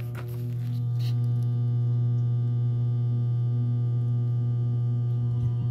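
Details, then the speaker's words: Whirlpool direct-drive washer: loud steady hum from switch-on with nothing turning, even after swapping the capacitor from another washer; owner suspects a bad motor and plans to replace it. "okay so that's uh more than likely that's that's a bad motor okay"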